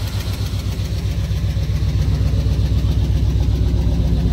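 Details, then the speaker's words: Truck with a crankshaft position sensor code, before replacing the sensor: idle is steady but has a slightly uneven low pulse and a faint shake in the beat; shaky rough idle, possibly from the sensor. "But I don't know if you can see it on camera very well, but it's pretty shaky. It shouldn't be that shaky."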